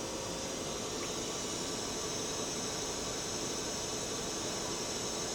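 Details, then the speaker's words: Milltronics RH30 vertical machining center, 40-taper spindle running at 500 rpm and rising to 1,000 rpm. Only a soft, even hiss with a faint steady hum and no knocking or grinding; the spindle runs quietly and is healthy. "500 RPM. You can hear it's a very quiet machine. 1,000."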